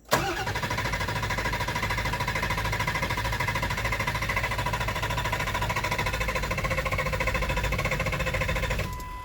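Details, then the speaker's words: Ford 7.3 Powerstroke diesel, warm no-start after replacing cam sensor: steady cranking about 3.5 beats per second for nine seconds, never catching; owner suspects the new cam sensor, unconfirmed. "Okay then, so we still got a no start, which means there's an issue with that cam sensor that I put in, more than likely."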